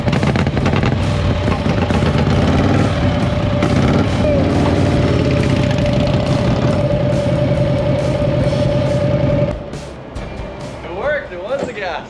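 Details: Panhead V-twin motorcycle restarted at the gas station after running out of fuel; loud, steady V-twin beat running evenly for several seconds before cutting off, running normally once it has fuel.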